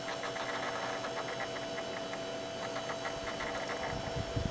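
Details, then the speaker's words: Dirty Sunbeam circulator fan, first start of the season, on low: steady motor hum with fast, uneven chatter and ticking, making all kinds of noise; owner thinks it needs oiling and cleaning, but it still moves a fair amount of air. "here it makes all kinds of noise as well so an oiling is probably in its future at some point but it's moving a fair amount of air"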